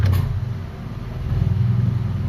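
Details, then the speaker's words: Honda Civic VTEC with battery light on: normal idle, but with AC switched on idle sags and labours, dropping toward about 100 rpm and near stalling, also falls after revving; idle air control and ECU faulty. "Ayan naghihingalo mga boss. So dahan-dahan siyang bumababa hanggang sa mamatay mga bossing makita niyo yung idle oh."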